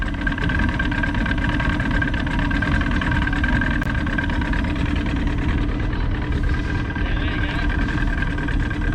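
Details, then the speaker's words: Johnson 90 hp outboard after power pack replacement, following electrical faults: smooth, even, quiet low idle hum with no knocks or misfires; normal idle. "That's what we want to see. Sounds healthy, pretty quiet."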